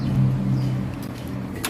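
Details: Starter motor bench-tested after a car only clicked and would not start: short, even electric whirr spinning up and fading without grinding or stutter; starter turns fine, weak battery or missing battery ground suspected instead.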